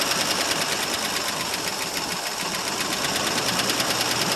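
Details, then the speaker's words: 1968 Mercury Monterey, 390 FE V8 with two-barrel carb, one-owner car, cold start after sitting about 20 years: uneven, lumpy idle with a ticking knock about three per second; owner suspects a stuck valve or two, water came out the exhaust. "well as you can see folks it does run it actually is it's got a stuck valve or two"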